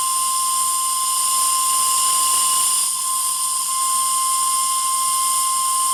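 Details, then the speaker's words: RC steam tug Côte d'Émeraude (Stuart D10, 1.5 L boiler) about 17 minutes into the run: one long, steady, clear whistle blast holding a single pitch with no sputter or wavering; the whistle sounds properly. "Allez, pour la route et parce que vraiment, ce sifflet est magnifique."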